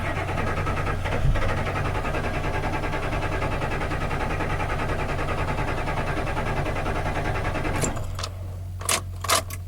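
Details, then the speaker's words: Pickup truck with 249,096 miles that had trouble starting the day before, door closed, engine off: steady low even hum as the fuel pump primes; normal priming before it fired up. "So I'm going to close the door and see if the pump runs. I don't hear it. It'll start working. I think it's working."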